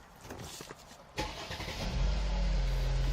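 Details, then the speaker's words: Mercedes-Benz E-Class push-button start from inside the cabin; brief crank catches cleanly and settles into a low, smooth, quiet idle with no vibration; normal engine start. "너 시동 걸어 봤는데요 정말 정숙하고요 잔 떨림 같은 것도 전혀 없습니다"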